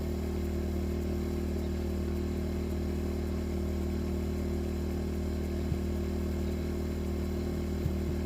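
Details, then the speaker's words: LIFAN 2000W pure sine wave inverter generator switched from economy mode to the higher setting, about 62–63 dB versus 60–61 in eco: steady, even hum of constant pitch with no surging or misses; running smoothly. "So yeah, it really didn't change a whole lot. You see right there, it's about 62 when I quit talking."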